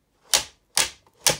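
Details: Modern household fan, tilt adjustment (tilts up to 90°, little downward travel): three crisp sharp ratchet clicks about half a second apart as the head tilts; normal detent action, nothing loose, though loud.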